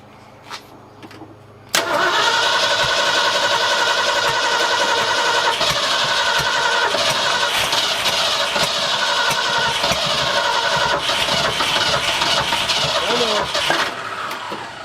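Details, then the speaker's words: Midnight Maroon on a brand-new motor with timing light on cylinder 5 and unburned fuel from the driver's side: long, laboured, slow uneven cranking that sags and never fires after repeated attempts, battery now dead. "Well, battery's dead. That's the first thing."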